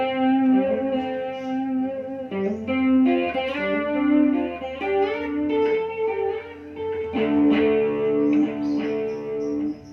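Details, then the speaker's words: AX1000G guitar multi-effects after repair of noisy ambience and modulation: clean electric guitar through chorus and modulation, no hiss, crackle or hum; clean effects output. "oke setelah kita perbaiki kita coba lagi kita Perbaiki masalah suara belai dan modulasi"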